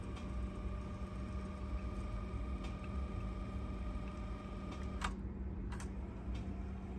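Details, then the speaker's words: Teac cassette deck after installing a new idler tire, which replaced a noisy old one: quiet steady motor hum with faint even whir and a few light ticks, no squeal or rumble on fast forward; winds smoothly. "okay guys I'm installing new at the tire and now you can hear how it will rotate no noise anymore fast forward"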